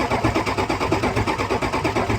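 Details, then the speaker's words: 2003 Ford F250 6.0 diesel, crank no start, drain back valve held down at oil filter: even starter cranking, never catching; no low-pressure oil reaches the filter, so high-pressure oil pump has nothing; low-pressure pump relief valve suspected. "Not a drop of oil coming up here. All right. So if you ain't got oil here, the high pressure oil pump can't do nothing back there because it's got nothing to work with."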